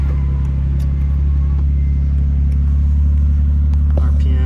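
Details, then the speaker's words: Nissan Skyline GTT with GTR-face conversion, after timing belt and water pump replacement: not a true cold start (just moved); fires right up into a steady deep exhaust burble at even idle with no ticks or knocks; engine healthy. "it's not technically a cold start because I just moved it fires right [Music] up muffler sounds"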